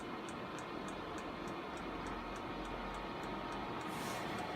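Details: Chinese diesel air heater on the bench just after firing, fuel line still bleeding: steady rushing burner roar with light fuel pump ticking about three a second; firing normally.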